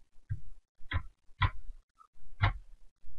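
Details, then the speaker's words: Massoth decoder (old eMotion LS, version no higher than 3.5) in an LGB Stainz locomotive, CVs being read via Massoth Service Tool; short crackling buzz bursts from the locomotive each time a CV reads, meaning readout is going well. "entend derrière la locomotive qui grésille chaque fois qu'une série est nul ça veut dire que la lecture se passe bien"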